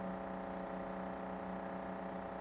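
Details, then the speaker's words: Daewoo RS30 fridge: loud, steady buzzing hum from the compressor area at the back, caused by a vibrating pipe next to the compressor; fix is stopping the pipe vibrating. "hello guys I'd like to show you how to stop annoying noise from the fridge"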